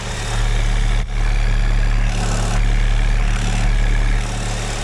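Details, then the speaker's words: GM 2.4 L Ecotec with check engine light, oil puking from the dipstick, idling with the oil cap pulled: low heavy idle with a rapid pulsing flutter at the open filler; heavy crankcase pressure from a clogged PCV valve. "Can you guys hear that? There's a lot of pressure in that crankcase."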